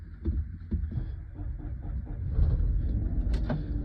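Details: 2014 Ram ProMaster 1500: low rumbling crank with uneven heavy pulses, struggles before catching; intermittent hard start, owner suspects starter.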